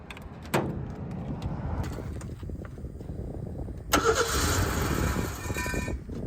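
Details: 1976 Ford Pinto after rewiring the fuel pump with temporary wire: a couple of short cranking tries, then catches and holds a steady idle; normal start once pump powered.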